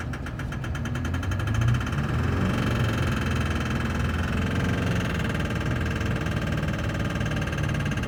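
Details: Duramax LB7 diesel idling: hard, rattly knock riding over a rough, clattery rumble, attributed to bad injectors.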